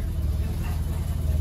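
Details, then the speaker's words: Mazda RX-7 FD rotary idling with a low, slightly lumpy burble that settles fairly steady; idle smoothing as AFR rises from about 10 to 11–12, at about 80° with roughly 12 inches of vacuum, running water not coolant, belt not fully tensioned. "idle is starting to get a lot smoother it started at about 10 AFR now it's dipping down to 11 and 12 getting a little bit more healthy sounding a lot better"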